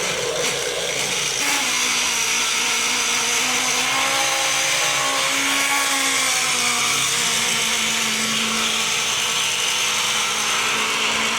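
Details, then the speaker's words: Taiff hair dryer making strange noise with sparks inside, before repair; loud rough whir with wavering hum and harsh rasp at steady speed; worn motor bushing (mancal), fixed by replacing it. "Hoje eu vou voltar aqui a mexer com o secador, que é esse aqui que tá com um barulho muito esquisito, tá saindo até faísca de fogo aqui dentro, ó."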